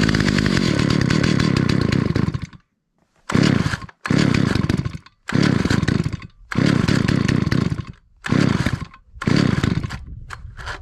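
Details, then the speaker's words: 43-year-old Stihl 028 Wood Boss chainsaw after carburetor reassembly: bursts into a rough roar, then drops out every second or so and won't idle; carb adjustments suspected off, so the low-speed screw is opened toward about 1¼ turns out. "say our adjustments are probably off I hope that's the issue so I'm going to open the low speed a little bit"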